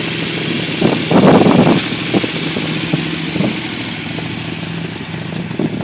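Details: Unimog 404 first start-up after rebuild with new fuse boards and a rewire: brief rise in revs, then settles to an even, regular beat with no misfire or rattle; normal running.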